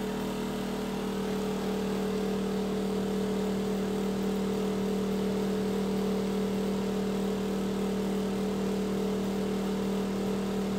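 Steady droning hum with a strong low tone and a faint uneven pulse riding on it; the fan runs loud and rough, cause unclear.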